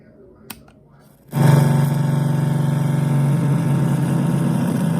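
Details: Tivoli Model One radio on 12 V DC: after a click, a loud steady low foghorn buzz with no FM reception, unaffected by volume or mode knobs. Cause: faulty 78L08 8 V regulator, fixed by replacing it with an L7808.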